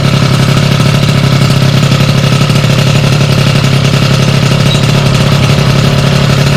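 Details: Sym DD50 scooter with a Polini Corsa Mini two-stroke build, after a basic check and jetting set: steady, even idle with no misses, knocks or surging; normal idle, running clean.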